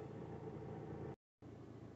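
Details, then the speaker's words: VW Crafter diesel van after new crankshaft gear pulley, cam belt and water pump for P0016 cam/crank correlation hot-start stalling; warming up at steady even idle with a brief dropout, no stumbling or misfire; normal idle. "The van is now starting and we're just letting the temperature build up and we're going to drive it around for the day and see how it goes, if it's going to cut out and if it's not going to restart."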